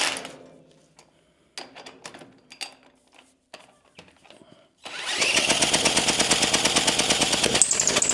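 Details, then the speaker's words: Early 1950s David Bradley walk-behind tractor single-cylinder engine, sat 20+ years, reused head gasket, faulty carburetor: clanking, then fast ragged uneven running with a squeak; owner suspects leaking head gasket and bad carburetor. "oh you know what the squeaking sound is I think that's the head gasket I bet you that's leaking yeah since I reused it bet you if we had a carburetor that worked would actually run"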